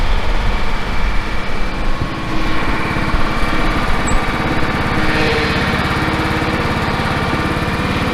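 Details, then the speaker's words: John Deere L110 ride-on mower, 606 hours, with transmission noise complaints, started on choke: steady single-cylinder thump with a faint constant high whine, from the engine or gearbox, likely the transmission. "you can hear there's a bit of a wine in the engine or the gearbox"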